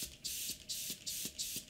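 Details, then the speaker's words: Airbrush with air pressure dialed down: spray hiss stutters about three times a second with clicking pops because the air valve underneath has come loose and isn't sealing; tightening it fixes it. "popping sounds what that is is this under here is not screwed in properly so this part here this one has become loose okay so if you hear that noise if I increase it that is literally there's not a good seal on the bottom so you tighten it up no problem"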